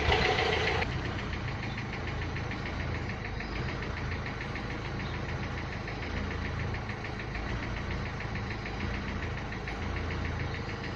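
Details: Renault Clio 3 1.5 dCi 105 hp diesel at idle: a sharp ticking knock about three or four times per second over the steady idle, described as a sound in the injectors, pointing to a noisy injector.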